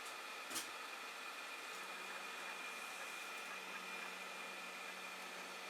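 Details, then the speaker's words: Creality Ender 5 Plus 3D printer, Z-axis bed moving down fast under G-code test after tightening nuts and bolts and fitting POM/Delrin TR8x4 lead screw nuts: faint steady motor hum, no squeak or chirp; lead screw quiet after fix. "as you see that's going down pretty fast because it's going that speed I would certainly expected to squeak here to go down more than that actually but no squeaking there"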